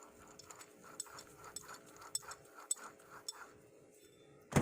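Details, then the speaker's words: 2013 Chrysler 200 worn wheel hub bearing turned by hand, producing rough, uneven clicking and gritty ratcheting; noisy bearing being removed and replaced. "a bearing noise to it that's bad they don't usually Fall Apart I've never seen one fall apart I've seen them get real noisy before they fell apart"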